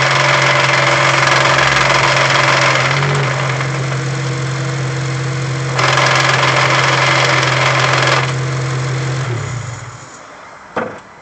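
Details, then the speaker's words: 2008 Honda Civic Si manual gearbox at idle in neutral: steady growling bearing-like whirr that fades when clutch is pressed in, also noisy in first gear; owner suspects bad input shaft bearing, not confirmed. "when I push the clutch in so when I disengage it when I press it down the sound Fades away and someone's saying the way Honda does their input shaft bearings that's a sign that that's bad"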